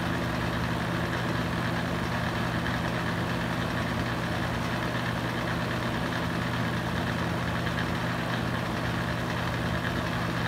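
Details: Used Hurricane box fan, running on high speed: constant heavy droning hum with a rough buzzing edge. Very noisy vibration; cause suspected but unconfirmed.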